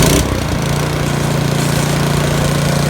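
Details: YardWorks 22-inch 179cc single-cylinder snow thrower, throttle up, throwing snow after auger belt replacement; steady, even hum under load with no slipping or squeal; running normally.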